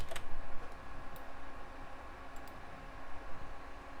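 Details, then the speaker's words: Early-2000s Sony Vaio desktop with 13 years of service, drive copying files: faint, irregular light seeks over a soft hum, very quiet and working normally. "Yep, doing it just fine. And it's quiet as can be, but I don't like that. I like them good and noisy."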